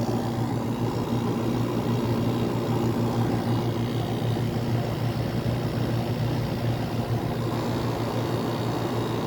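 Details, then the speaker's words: 1985 WCI air conditioner, first test after building head pressure: steady low hum with even fan rush, no rattles, knocks or surging; compressor runs smoothly and healthy. "this is one of actually this might be one of my best running air conditioners I own"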